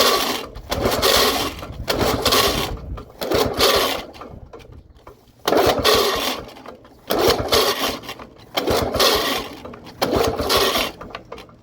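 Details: 1979 Lawn-Boy two-stroke mower that sat 20+ years, good compression. Repeated rope pulls give short rasping bursts about every 1.5 s but it never fires; it likely wasn't primed enough: cranking no-start.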